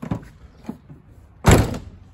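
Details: 2013 Toyota Land Cruiser 150 Prado rear door, rattle fixes being tried: a few light taps, then one heavy door shut with a short hollow buzzing tail; the loose rattle persists.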